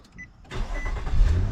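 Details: 2012 Nissan Altima 3.5 after crank sensor replacement for code P0335: short crank catches quickly and settles into a steady, smooth idle with no stumbling; normal start.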